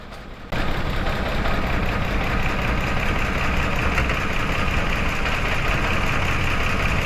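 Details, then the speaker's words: Mitsubishi Mirage G4 misfiring when hot, injector code, new coil and plugs already fitted: lumpy uneven idle with occasional stumbles; injector power intermittent from broken positive and negative wires at the connector. "Kaya pala pawala-wala yung kuryente niya papunta sa"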